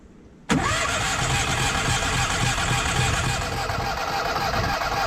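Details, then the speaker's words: Onan 5500 generator: starter cranks steadily at about three or four turns a second but the engine never catches. It had been running intermittently and dying, and no fuel pump sound is heard when priming. Failed fuel pump suspected, before replacement. "when I hit start here it may start but it probably won't run more than about a minute or two if it starts at all"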